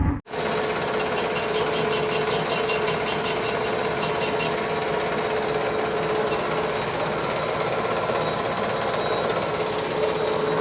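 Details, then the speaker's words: Workshop lathe running again after being out of action and repaired: steady mid-pitched hum with light regular ticking, no knocks or grinding; normal healthy running. "taada machine's working at long last"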